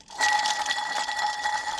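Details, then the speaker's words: Antique Caterpillar RD4 transmission bearing removed with its shaft during rebuild, spun by hand: dry, loose rattling whir with thin ringing tone; worn bearing with excessive play. "That's what they're supposed to sound like. And they're supposed to have that much play."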